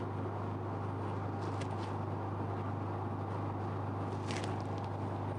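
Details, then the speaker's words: Photolithography spin coater, vacuum switched on to hold the wafer on the chuck before photoresist coating: steady low hum around 100 Hz, no surging or rattle; vacuum pump running normally, wafer held firmly. "So, you have the wafer here then we have the option to switch on the vacuum you can hear a humming sound right."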